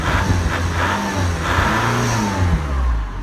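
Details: 2003 Chrysler PT Cruiser CRD diesel, just started after replacing the alternator and serpentine belt: picks up cleanly through a few throttle blips and drops back smoothly, no rattle or belt squeal; sounds healthy.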